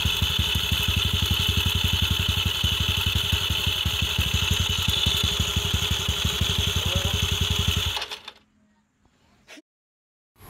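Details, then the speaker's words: Scooter idling with a steady thump and constant metallic, scratchy rattle from worn starter clutch (bendix) rollers, not the bearing, which only turns when starting. "Ah gastado na kasi yan kaya maingay yung mga bendix. Hindi po yung bearing kasi ang bearing hindi naman yan umiikot habang naka-menor."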